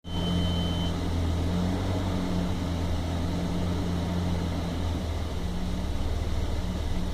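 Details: 1997 Toyota Land Cruiser FZJ80 (1FZE six) at idle: a deep, uneven hum that wavers and stumbles, a rough idle that also persisted to about 2000 rpm; MAF sensor and vacuum leaks were checked, and it later smoothed out, possibly after an ECU relearn.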